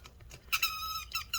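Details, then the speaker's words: Lenovo Yoga C740-15IML laptop cooling fan: high, thin chirping screech in quick bursts over a faint hum, which the customer likened to a boiling kettle; fan judged bad and to be replaced, cause not confirmed. "so as you can see the fan on here is bad i don't know if you heard that screeching sound the customer was telling me it sounds like a boiling kettle"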